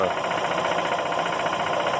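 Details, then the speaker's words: Emglo K15A-8P air compressor in constant-run mode at 70 psi, pilot valve has pressurized the head: steady, even motor drone with a light rhythmic flutter and no knocking; running unloaded at idle, as normal. "valve pressurized the head on the air compressor and it is now in an idle mode"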